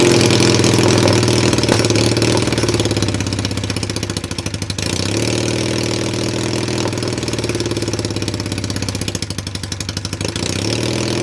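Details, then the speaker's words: Cheap Chinese ATV with a bad CDI, run on a jumper between ignition coil trigger wires and a jump pack: small single-cylinder catches and settles into fast, slightly uneven idle around 220 pulses a minute, running steadily; clutches turned out faulty. "and then uh r all right so it does run"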